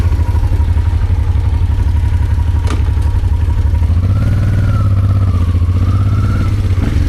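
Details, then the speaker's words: Honda Transalp twin on its first start after rebuilt carburetors were reinstalled: an even, lumpy beat holds steady, then a clean throttle blip rises and settles smoothly. The engine runs healthy, with a smooth idle and clean response. "And now it's time to give it a test run. And it runs brilliant as"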